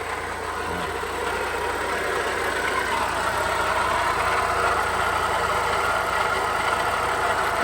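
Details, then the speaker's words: Perodua Bezza with a loud engine noise complaint: harsh, mid-pitched roar at idle that climbs slightly and holds steady. It is clearly too noisy, sounding like the engine might break, but the source isn't identified. "Coba yola tengok apa masalah ini. Beza pro kuat bunyi."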